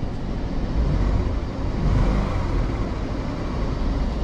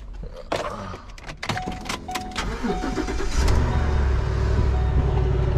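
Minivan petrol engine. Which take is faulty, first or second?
first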